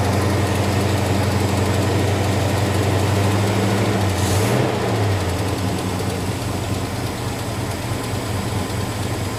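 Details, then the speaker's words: 1971 Dodge Sweptline big-block V8 after fixing non-venting fuel tank and misadjusted float that flooded the crankcase with gas: loud, lumpy, uneven idle gradually steadying, heavy blue oil-smelling smoke from passenger-side bank; rough idle smoothing out. "Sounds like she's cleaning up a little bit. An awful lot of smoke off of that passenger side bank."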